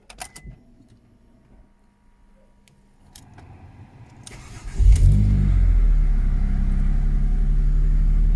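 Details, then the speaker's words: Ford Mondeo ST220 V6 at about 100,000 miles, K&N air filter fitted, showing fault code P0443: keys rattle, a short crank, then a clean catch and an even, smooth idle with no knocks or misses; sounds quite nice. "This is it with the original, the K&N on it, the sound. And it does sound quite nice actually."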